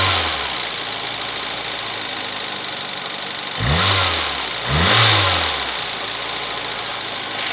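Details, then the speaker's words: VAZ 2110 8-valve engine, fully cold: sharp metallic rattle at idle swelling on two quick throttle blips; knock fades as idle drops to 1000 rpm, disappears completely at operating temperature; cause unknown, owner asking. "Так, проблема заключается в следующем. Короче, двигатель совершенно холодный. И вот такой треск."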